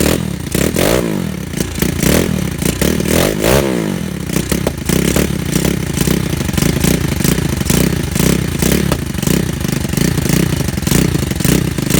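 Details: Pitster Pro LXR pit bike with a freshly rebuilt Piranha 140 engine and carburetor kit: fires up and takes several sharp revs, then drops back to a choppy idle; pulls cleanly with no mechanical noise.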